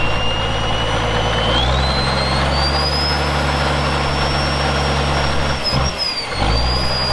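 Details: Caterpillar 1693 diesel in a 1977 Peterbilt 359 toterhome, fully warmed up and revved out: it revs smoothly with a rising turbo whistle, holds speed evenly, then dips and recovers without stumbling. Normal running.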